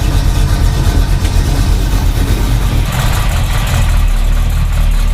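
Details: 1971 Chevy Nova Chevy 350 V8, not run in 15 years, warming up: deep, steady V8 burble at idle, no knocks or misses, smoke lessening as oil burns off.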